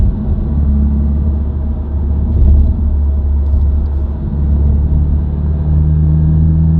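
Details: New-generation Subaru WRX, recorded inside the cabin while driving: deep steady humming drone that rises with road speed and is unchanged by revs, gear, clutch in or out of gear. Dealer-diagnosed broken centre-diff viscous coupler, recorded before repair.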